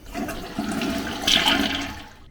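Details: Toilet flush after replacing the deformed flapper with a universal replacement: strong rushing flush that drains cleanly and fades with no hiss or trickle afterward; normal flush, leak fixed.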